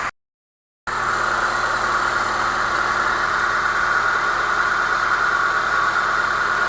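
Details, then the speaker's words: Chevrolet Niva (Шэви-Нива), cold start at 16 °C: steady, even, smooth idle with no knock; the cold knock that vanished above 60 °C is gone after refitting an old part near cylinder 1 with a tightened spring. "Вот. В общем, что хочу сказать, будет стучать. Причина вот, пожалуйста. Всё работает классно."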